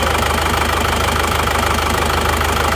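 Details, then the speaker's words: Isuzu Panther diesel idling: steady even clatter with regular low thump, no stray knocks; healthy, as smooth as the Kijang though the Kijang is smoother from the cabin. "Terus suara mesinnya seperti ini. Ini sama-sama halusnya sebenarnya, sama-sama halus. Cuma kalau dari dalam kabin itu masih halusan Kijang."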